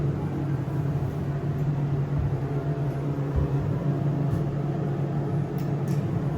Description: I took a peak in the machine room, and the screw pump made by SEIM is very noisy.